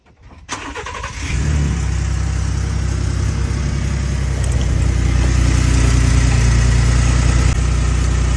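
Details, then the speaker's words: Ford V6 EcoBoost twin-turbo cold start: settles to a low idle with a loose, uneven rattle from the turbo wastegate, which Ford considers normal; turbos were already replaced once at about 15,000 miles. "You hear that rattle? It doesn't sound good. Well, Ford considers that normal."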